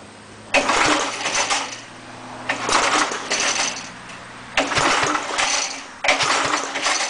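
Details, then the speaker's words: Air compressor engine after cleaning head and valve seats, oil change, muffler removed, choke on: four uneven clattering bursts each dying after about a second, won't run steadily; owner suspects governor or carburetor problem; rough running. "It could be a problem with the governor, because it's just like you can see what it's doing."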